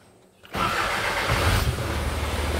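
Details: Isuzu 4HJ1 common-rail diesel after refitting the engine relay: quiet key-on, throttle body ticks, then the engine catches within a second and settles into a steady, even idle; healthy start.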